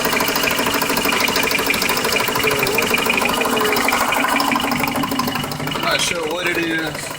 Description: Ticking sound from the time I start my car till cut off.